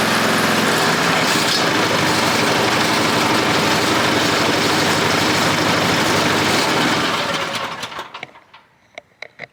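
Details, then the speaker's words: Toro Z Master 5000 mower, oil level checked fine: loud, rough, rapid knocking over harsh running for seven seconds, then shutdown and rattle to a stop; bad knocking at idle, cause unclear. "Wow. Something sounds like death on this. It sounds nasty."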